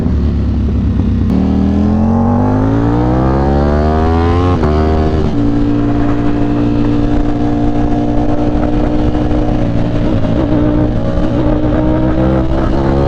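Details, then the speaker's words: Sport motorcycle with a dry clutch, 2200 miles, riding at high rpm: engine note climbs quickly and hangs high while road speed lags; rider suspects the clutch is slipping, only at high rpm, not confirmed. "oh this clutch slipping it sounds like this clutch is slipping dude that's not good already"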